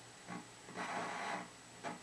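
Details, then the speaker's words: Commodore 128 at startup in 40-column 128 mode: irregular crackling static bursts with a faint low hum from the audio output while idling; sound circuit issue suspected, may or may not settle as it warms. "boy did i speak too soon if you hear that that noise"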